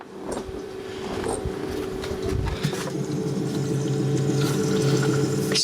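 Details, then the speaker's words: Evakool 12-volt fridge compressor during vacuum and refrigerant charge: steady hum with wet gurgle and slosh underneath, sounding full of water; moisture suspected, system possibly compromised, unconfirmed. "full of water yep that sounds full of water yeah that's not a good sign"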